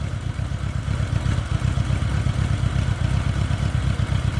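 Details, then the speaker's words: 1986 Honda GL1200 Goldwing flat-four, about 600 miles since acquired, sat an hour at about 60°F, gauge still cold: low even idle thrum about four pulses a second, no knocks or misses; healthy cold idle, cold-natured, owner plans carb rebuild. "But anyway, starts and runs great. It's definitely cold natured, so eventually I probably will have to go through the carbs."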